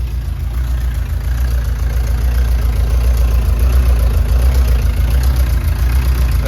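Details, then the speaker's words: 1999 Subaru Legacy 2.2 engine swapped into a VW bus, started the day after its first run with the fuel pump cycling and no coolant: a deep, smooth, rock-steady idle with an even low rumble and no knocks or misses, a normal idle. "great I mean it is Rocksteady perfect"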